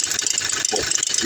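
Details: 2017 Toyota Hilux diesel: fast dry high-pitched crackling clicks from idle, worse under load (AC, drive, reverse, steering); not the AC, belt tensioner and idler already replaced; sound seems everywhere but was the alternator pulley, confirmed when noise stopped with alternator disconnected.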